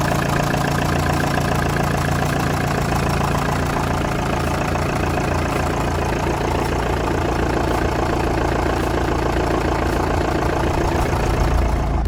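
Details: 2006 LTI TX4 taxi, 2.5 L Chrysler diesel i4, cold start after sitting a few weeks. Started on the button into a steady, even diesel idle with a smooth low rumble, no knocks or misses.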